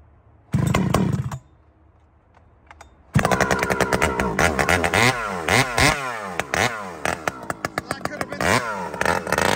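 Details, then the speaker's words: Chainsaw with new Robo muffler, carb richened a quarter turn: fires and revs cleanly to wide-open throttle and back repeatedly, crisp and even, no bogging; well tuned, normal wide-open throttle. "Okay, so fire it up and see what it sounds like. And crack it, just hold it wide open, because that should bark now a bit with that."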